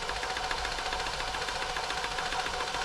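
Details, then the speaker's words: New Home 641 sewing machine, seized from dried oil, being oiled and run: slow, uneven clacking about twice a second, catching at tight spots when run slow; still partly seized and needs more oil worked in. "and you got a machine that's a little bit seized it's hard to go slow it hits those little CA spots until we get some oil into them"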